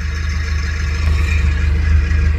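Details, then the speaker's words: Nissan Platina manual at idle: a faint whirring hum swells slightly as the clutch pedal is pressed, from a failing clutch release bearing. Replacing the whole clutch kit, not just the bearing, is recommended. "Y bueno, si ya comienzan a tener este sonido, lo mejor será cambiar el kit de clutch completo y no solamente el collarín, para que tengamos un mejor funcionamiento."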